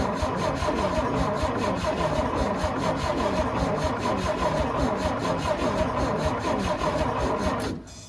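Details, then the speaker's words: Antique International winch truck left sitting in the woods, fuel siphoned to the mechanical fuel pump: steady even cranking about eight seconds with no firing; no spark at plugs, ignition coil gets power but sends none out. "right, guys, so as you can see there, not getting any spark to the spark plugs. So I've traced it back."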